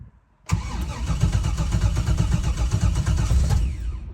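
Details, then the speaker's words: Engine with Holley Terminator X EFI cranks with uneven, labouring turns and nearly fires; battery sags below about 9 volts while cranking, so relays drop out and cut power to coils, sensors and fuel pump. "Right there, it almost wanted to start because once it hit 9 volts, the relay kicked back in. So, if the if the voltage stays above 9 and a half volts, maybe like around 10, we're going to be good. I guarantee it's going to start."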